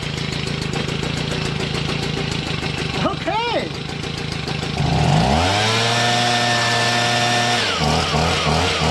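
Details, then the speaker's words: Stihl BG55 leaf blower two-stroke after new carburetor, fuel line and air filter base: clean steady idle at half choke, then even high buzz at full run; normal idle and full-throttle run. "now it's on full run it was half choked before how about that okay nice"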